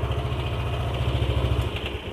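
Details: Yamaha NMAX scooter idling with throttle blips: loose chattery rattle riding the exhaust pulses as throttle closes, only off-throttle. Loose CVT slider also found; noise vanished when cam chain tensioner was pressed in further — worn cam chain tensioner rattle.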